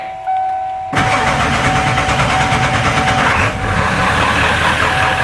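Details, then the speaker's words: 1996 Ford F-350 7.3L Powerstroke diesel, test start after conversion to frame-mounted electric fuel pump: thin fuel pump hum, then short crank and diesel catches straight away into steady clatter; starts normally. "we're test starting our 96 f-350 7.3 liter Powerstroke diesel after electronic fuel conversion can already hear the fuel pump pumping give her a crank Ali"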